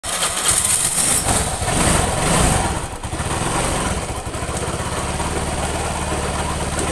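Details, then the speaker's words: Suzuki Nex II scooter idling with a rough, uneven knocking from the middle of the engine, not the CVT; likely ran out of oil, with a worn camshaft bearing. "itu kasar sekali di bagian mesin tetapi ini bukan CVT ini suara timbul dari mesin bagian tengah dari bagian tengah dia meliputi keras sama seker kemungkinan besar motor ini pernah kehabisan oli"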